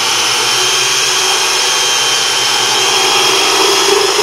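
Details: Unimat SL1000 lathe turning 416 stainless steel with an 8° tool at 850 rpm and 0.001–0.004 in depth of cut: a continuous hissing cut turns rougher and buzzy near the end of the pass. Tool chatter at the end of the cut.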